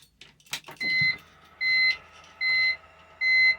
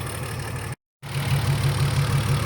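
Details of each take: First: BMW E46 with M54B30 engine, M56 valve cover, MS43 ECU, retrofitted pencil coils, running on E85, after replacing a dead cylinder 1 ignition coil with a salvage-yard coil: chimes, short crank, catches and settles to a stable idle on all cylinders. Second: BMW E46 M54B30 with MS43 ECU, just retrofitted M56 valve cover and pencil coils, first start: uneven, lumpy idle with a recurring stumble; cylinder 2 misfiring, and swapping coils moved the miss, confirming a failed ignition coil.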